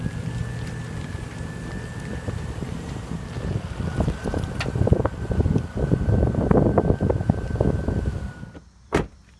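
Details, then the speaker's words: Car driving over uneven pavement: irregular sharp pops and knocks under road rumble, more distinct over bumps, the driver's complaint. Suspension suspected, not yet inspected. "Okay, well there you heard it as we were driving. There was that popping noise, which is what the driver had mentioned."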